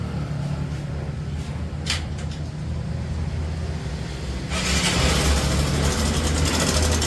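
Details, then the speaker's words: Honda CB Shine motorcycle engine: once it fires, a fast, steady metallic rattle over the idle; timing chain is worn out and needs replacing. "आज एक मेरा पास problem आया है Honda कब shine तो उसका typing change खराब हो चुका है उसका इंजन का साउंड ए रहा है"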